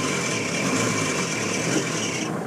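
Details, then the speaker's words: 1994 Mitsubishi Delica Star Wagon, about 158,694 km, nearly 30 years old, idling: steady high raspy squeal from the slipping alternator belt, which needs tightening or, better, replacing. "before I do that though I just want to mention there's some belt squeal from the alternator belt"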